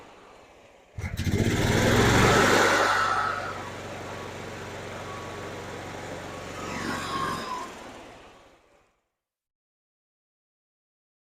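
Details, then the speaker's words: 2012 EZGO TXT golf cart engine after no-start fix with new carb, fuel pump and fuel filter, with choke: catches, revs unevenly, sputters and dies; rough running, too much choke or carb needing adjustment suspected. "oh well it runs now not very good let it warm up"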